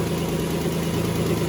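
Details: 2003 Nissan Altima 3.5 idling after alternator replacement: smooth, even hum without the earlier bearing whine that had sounded like the power steering pump; now charging 14.3 V with no dash light.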